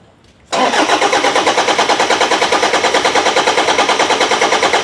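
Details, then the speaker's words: Toyota Vigo 1KD diesel, cranks but won't start: even cranking about three strokes a second, never catches. The injection pump can't build pressure (low pressure, code 0093, pump temperature code); timing belt checked and not broken. "ตอนนี้ปั๊มสร้างแรงดันไม่ได้นะขึ้นแรงดันต่ำนะแล้วก็มีทั้งโค้ด0093ก็มีนะครับโค้ดอุณหภูมิปั๊มก็มีนะฮะ"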